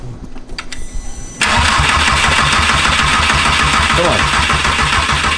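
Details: 1.8T engine from a Mk4 GTI swapped into a Mk2, first start after years, immobilizer bypassed; a short stumbling crank, then it fires and settles into a steady, even idle.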